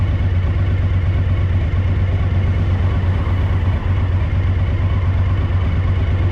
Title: DL1000 rear cylinder misfire a